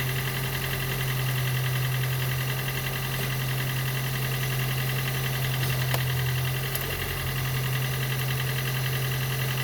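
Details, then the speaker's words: Gen 2 Toyota Prius 1.5L hybrid with codes P3190, P0A0F, P3000 and P0A80, engine running after being turned by hand while the HV battery charges: low drone with a loose, uneven pulse, weak and lacking bite. Diagnosed low compression, causing the cold no-start. "And I know what the problem is. Actually, the compression is too low."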